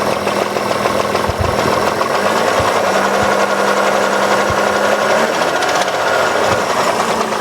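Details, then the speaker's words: 2003 Hyundai Sonata 2.7 V6 (G6BA) at idle, occasionally hard starting: half-dull, half-ringing knock over the engine hum, heard near the right head and below, at all rpm; mechanic suspects a hydraulic cam chain tensioner, not confirmed. "ну и слышно очень такой полу глуховатый полос звонкий стук двигателя вот такой вот слышно"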